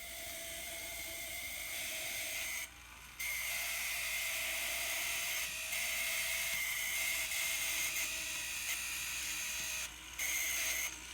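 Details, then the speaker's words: Kato N scale SD40-2 locomotive labelled noisy, running on track with a shrill, rasping gear whine, the same in reverse. Noisy gear drive, suspected to be the small plastic bearings next to the worm gears. "so guaranteed that noise is the little plastic bearings next to the worm gears"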